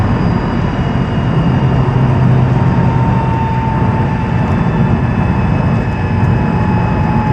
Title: 2006 Mazdaspeed 6 whining noise